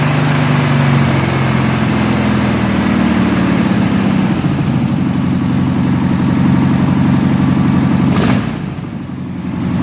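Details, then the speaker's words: 1972 VW Classic Beetle rat trike air-cooled engine with a new carburetor, replacing a Solex ruined during cleaning for suspected clogged jets: even throbbing note at steady idle, rising slightly and dropping back, no misses; normal running. "And like I said, I'll let you hear the carburetor run with the new one."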